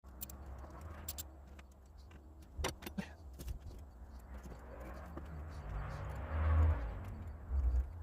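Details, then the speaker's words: 1985 Ford F8000 with CAT 3208 turbo V8 diesel, after starter solenoid repair: only a brief low groan and clunk on the key, and the starter never cranks the engine; starter suspected shot, not confirmed. "sounds like it's doing something but it's not getting hot too right huh I guess it's shot"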